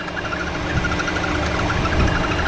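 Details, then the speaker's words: 2014 Chevy Cruze 1.4L turbo four-cylinder idling with cylinder 4 misfire: snapping misfire plus quick even chirping about ten a second over the idle; belt looks fine, chirp suspected from PCV valve in valve cover, misfire suspected ignition coil pack. "well look at the belt good and all but that's usually a lot of times that chirping noise is sign of a PVC valve in the valve cover going back"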